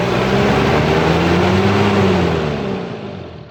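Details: Toyota Hilux diesel (2L/3L/5L type) after its misfiring injector nozzles were cleaned; even, steady idle with a smooth rhythm and no knocks or misses, then it winds down; engine sounds healthy.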